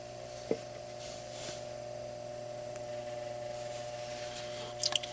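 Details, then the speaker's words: Bell & Gossett LR20BF booster circulator pump on natural gas furnace/boiler system, unoiled about 5 years (manual says every 6 months): steady low drone hum with buzzy edge and felt vibration at pump; dry pump bearings, fixed by adding about a tablespoon of 5W-30 oil. "i think it's coming from here because i do have a vibration here and it creates this low drone hum"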